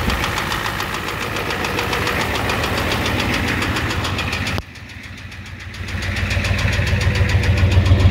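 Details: 1988 Ford F250 7.3L IDI diesel, high-pressure fuel line leak, white/grey exhaust smoke, smoke from dipstick, oil low: sharp regular knock about 3.5 per second over steady idle; engine knock at idle, cause unconfirmed.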